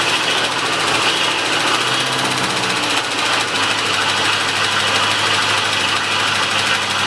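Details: 1985 Chevrolet C10 at first start in 10 years, after a new mechanical fuel pump, tank, fuel lines, starter, battery and distributor module: fast, high idle with light quick ticking; top-end tap, seemingly passenger side, Lucas oil treatment added.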